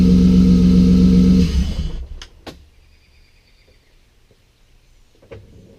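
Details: BMW drift car just after fixing an injector issue: engine runs smooth and even for a second or so with no misses or knocks, then shuts off; sounds healthy.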